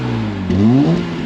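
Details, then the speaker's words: Straight-six car, warmed up, free-revving: quick clean blip, revs rise and fall evenly with no knocks or misses; some black smoke seen, judged better than white; sounds good, proper straight-six. "Yeah, car is alive, sounds good. Yeah. Cool. Awesome. Looks good. Yeah. Proper straight 6 sound."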